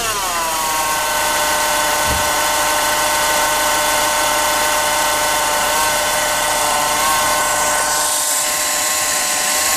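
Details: 2007 Renault Clio diesel: a steady high-pitched whine with ringing overtones over a quiet engine, dipping briefly early on; the owner asks for help identifying the source, which is unclear.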